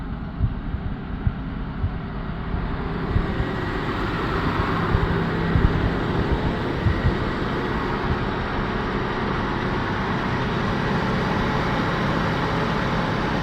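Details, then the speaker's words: 1988-1991 LN3 3800 V6 idling with AC on and AC clutch engaged, after harmonic balancer (crank pulley) replacement for excessive noise: steady, even idle with smooth low hum, no rattle or tick; healthy, normal sound. "I think she sounds pretty good to me it's a little rustier than the other one but it's been sitting for a while"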